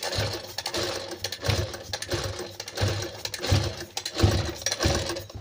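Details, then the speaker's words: Sewing machine run at speed gives a harsh, clattery rattle and uneven knocking, much quieter when run slowly; a dry, unlubricated mechanism lacking oil. "जब machine में इस tribe का आवाज आए देखिए तो आपको समझ लेना है कि इसमें मशीन के यल की वजह से यह मशीन आवाज कर रही है"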